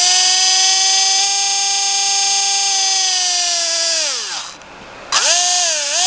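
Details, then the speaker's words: SC-10 RC car bought for $30, brushless motor tested held up off the table: clean high whine holding steady, dipping as throttle drops, then spinning back up smoothly; motor and ESC healthy. "i paid 30 for this whole car with all the stuff that came with it and this motor and stuff works"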